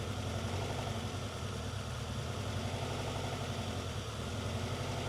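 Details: Honda CR-V: idle stumbles with an uneven, lumpy beat, check engine light on; misfire, cause not found, plug wire suspected.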